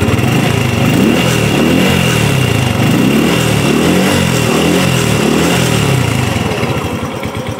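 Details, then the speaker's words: Used 2014 Honda Revo FI fuel-injected moped being revved: the small single rises and falls smoothly through repeated throttle blips with no rattle or miss. It sounds healthy, normal revving. "Masih halus teman-teman. Dengarkan sendiri, tak gas ya."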